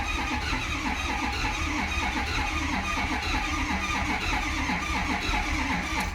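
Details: Ford Powerstroke diesel with reman injectors and new aftermarket harness, bogging and hard to start: slow, labored cranking at about four beats a second that never catches, no codes, 20–35 lb oil pressure; batteries too weak to spin it fast enough to fire.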